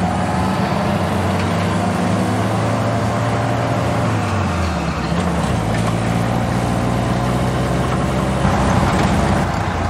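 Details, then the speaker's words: Jeep with freshly rebuilt and calibrated original Carter WO carburetor installed: slow, uneven low idle rumble that sags and nearly stalls around five seconds before recovering; idle set too low, otherwise running well. "Sounds like I might have to bring the idle up just a hair. Otherwise, it is running pretty good."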